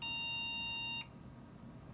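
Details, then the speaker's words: HP desktop PC from about 2010–2011 found in trash, powered on with side off; shrill steady one-second beep repeating after a second of silence at power-on; memory suspected, not confirmed; repeating beep at power-on. "not good sounds like memory"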